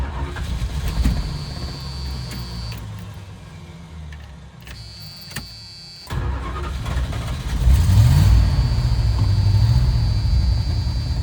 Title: Ramcharger Startup - Misfire